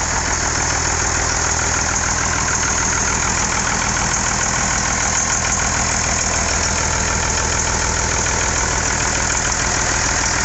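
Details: IH 5288 tractor diesel at first start after finishing touches, injector lines bled with fuel to at least four: steady, even idle clatter with no missing or knocking beats, sounding better than in years; normal idle.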